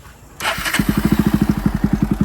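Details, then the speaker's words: Motorcycle with newly refitted engine after a seizure, running in gently for a few days: clean start, then steady, even idle with no knocks, misses or rattles. Owner says it is fully fine; normal idle. "তোমালোকৰ বাইকৰ মই চাউণ্ডটো এবাৰ শুনাই দিছোঁ এতিয়া মই rest দিব নোৱাৰিম কেইদিনমান মোক লাহে লাহে চলাবলৈ দিছে"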